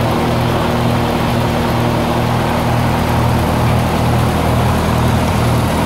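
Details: 1948 Lincoln SA-200 welder engine, long unused, revived with little work, with a short stack with resonator: a steady, even low drone with no knocks or misses. Normal, quiet idle.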